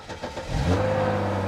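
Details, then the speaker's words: Salvage 2011 Hyundai Genesis Coupe, jump-started: starter churns briefly, then the engine catches cleanly and settles into a steady, even idle with no knocks or misses; normal start and idle. "Well, she did fire right up. Sounds good too. Like I'm not even kidding. Like it fired right up. That sounded awesome."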